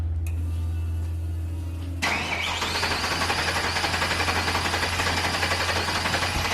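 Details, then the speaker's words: Ford F-350 ramp truck with swapped-in 8.1 big-block V8 on stock ECU, first start, cold: starter turns about two seconds, then it fires into a quick steady rumbling idle with no misses; normal start. "yeah there we go he's got some rumble to it that sounds pretty damn good"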